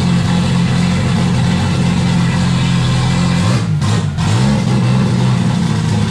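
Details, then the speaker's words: Turbo Jeep on Megasquirt MS3X with 80 lb EV1 injectors, start after cam sensor and base timing reset: low drone that sags and stumbles briefly before recovering; owners suspect not enough air, possibly the old idle air control. "alright guys as you can see it's it's running but you have to play with the throttle a little bit to get it to stay running and our theory is it's not getting enough air"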